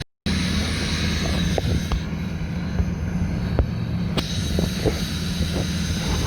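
Steady, fairly fast diesel clatter holding an even raised idle with no misses; a cold engine sitting on high idle.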